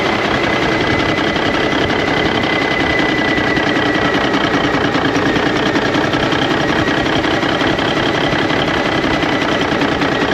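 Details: 1991 Freightliner Cummins NTC-365 diesel with throttle lag, running straight from a fuel bucket bypassing the ECM cooler plate into the PT pump; dense uneven clatter, ran worse; pressure gauge only reached about 30, fuel cause suspected.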